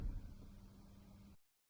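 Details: BMW E39 Touring (2003 525iT or 2002 520iT): a steady low drone holds for over a second and then cuts off; fuel pump humming louder than normal, as a pump may sound near the end of its life.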